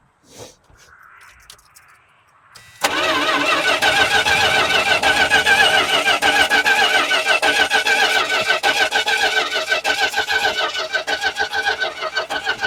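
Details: Truck engine running on a line fed straight to the carburetor after a fuel check that showed varnished fuel: catches after about three seconds, then a steady, slightly uneven fast idle with light clatter; water leak traced to a cover gasket.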